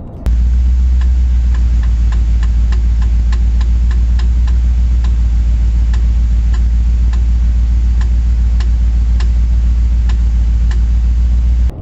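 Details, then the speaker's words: BMW E31 driving: sharp metallic tings about every half second over a steady low drone, from a worn propshaft constant velocity joint. It worsened despite center-bearing preload and eventually shook the car. "i had the same ting tinging noises and yeah i thought well better better get that up to lee so i can pre-load the bearing but no it didn't ever get better it got worse and worse"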